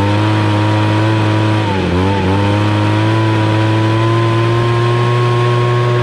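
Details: 26cc two-stroke gas engine: a steady, high hum dips briefly and recovers, then holds a clean, even pitch; running normally after the start, and the engine is pretty hot afterwards.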